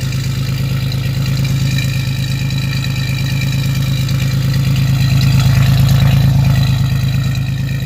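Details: 1987 Chevrolet Celebrity Eurosport 2.8 V6 with 237k miles at a cold idle, before the catalytic converter install: loud harsh raspy crackle on each exhaust pulse with a fuel smell; unmuffled exhaust lacking a catalytic converter.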